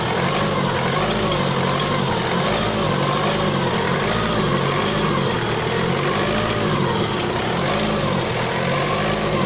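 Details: Opel Astra J engine idling steadily with a faint rhythmic rise and fall and a light tapping undertone; an unidentified engine noise, cause unclear.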